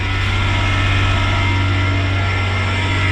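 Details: Kei car after Miller welding of its muffler, first start: steady even low burble at idle with no ticking, puffing leaks or rattles; exhaust sounds sealed and healthy.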